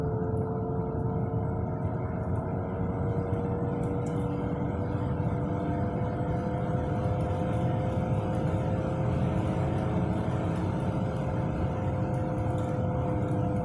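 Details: Car with a worn left-front wheel bearing gives a constant low roar and droning hum from underneath at 20–30 mph. The tires showed no irregular wear and the wheel passed the shake test; replacing the hub assembly stopped the noise.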